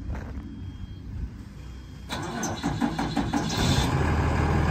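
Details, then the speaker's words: 2009 Peterbilt 335 crane truck, PACCAR PX6 6.7 L turbo diesel, 191,000 miles: about two seconds of starter cranking, then it catches at once and settles into a steady, even idle. "it's got 191 000 miles on a paccar px6 engine so six seven liter turbo diesel that starts right up sounds great you can hear that now"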